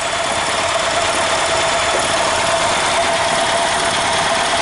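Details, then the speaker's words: Robin ST350 engine in an EZGO Workhorse golf cart after carb cleaning and a starter change, idling in neutral: a steady, even, hissy run with no misses or knocks; smooth idle. "well anyway I'm showing you guys it's running"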